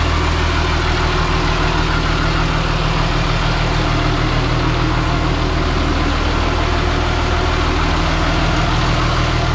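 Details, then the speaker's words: Caterpillar D3C LGP dozer diesel idling in the shop after refilling hydraulic oil following a blown hydraulic hose; no oil seen spraying. Steady, even low rumble with no knocks or misses; the engine runs healthy and sounds good enough. "Sounds good enough to me."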